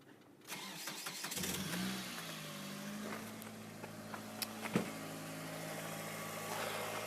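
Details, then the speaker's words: Mitsubishi Lancer 2000, 1.8 4G93 GDI, 150,000+ km, cold start near 5°C after Suprotec additive for hydraulic lifter knock: catches after a brief crank and settles to a steady, even idle with no top-end ticking; a normal cold start. "всё слышим звука нет отлично"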